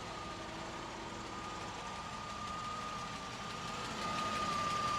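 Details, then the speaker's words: 1987 Mercedes-Benz 560SL (R107) V8, 90k miles, after cold start, microphone possibly clipped to grille: smooth quiet even idle with faint steady whir, no ticking, clacking or valve noise from either bank; normal, healthy engine, recently fully serviced. "And we can see that it doesn't make those distinctive clacking noises, and there is no unusual valve noise from either side of the"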